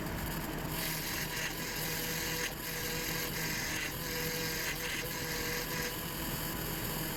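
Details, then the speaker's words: 2004 GMC Envoy, 4.2 inline six, idling after replacing the power steering pump whose impeller shaft broke in half. A quiet, steady idle with a light even tick and no pump whine or groan; power steering works again. "we're in good shape hope working fine the power steering is back working"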